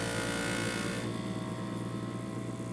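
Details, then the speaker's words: Creality Space Pi filament dryer unboxed alongside a new Creality K1C 3D printer, starting up: loud steady droning hum at fixed pitch, easing slightly after a second, like a mini plane; normal fan startup. "this thing's pretty loud it's not quiet starting up it's like like a mini little plane going off"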